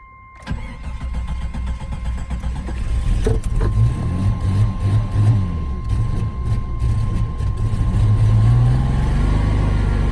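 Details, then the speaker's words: 1988 Jeep Wagoneer XJ with automatic overdrive transmission, long sitting, low fuel light on: engine cranks and catches with about 40 psi oil pressure and charging, runs a few seconds on an uneven wavering idle, then stalls; sounds fuel-starved, not mechanically damaged, cause unconfirmed. "and then it stalls"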